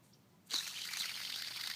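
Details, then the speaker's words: Alternator belt idler pulley off a 1995.5–1999.5 VW MK3 TDI, spun by hand: thin, gritty whir of a sealed bearing with worn-out lubrication, spins freely but expected to scream at engine rpm. "I can hear the bearings which means that the lubrication has worn out and it's a sealed bearing so you can't just remove the bearings"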